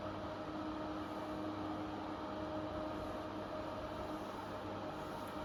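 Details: Intervent NVF100P 4" axial pullcord extractor fan, 220–240 V AC, new, running with the front cover fitted: steady airy hum with a faint constant motor whine, level throughout. Running normally, just a noisy motor.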